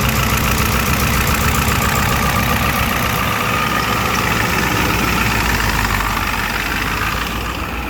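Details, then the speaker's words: 1993 Ford F350 ramp truck, 7.3L V8 turbo diesel, 5-speed manual, 175k miles: steady, even diesel clatter at idle with faint turbo whistle, no misses or heavy knocks; runs healthy, belt sometimes squeaks on first crank. "turbo diesel engine, very nice and quiet, runs very strong."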